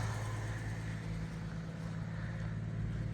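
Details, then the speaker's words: 1959 Chevy Biscayne, 235 six-cylinder, manual, on temporary fuel jug, still on choke high cam: smooth even idle held a little high, steady low hum with no knocks or misses; normal fast idle on choke. "How's that? It's a nice, smooth little 6-cylinder. Good old 235. Still on the high cam with the choke."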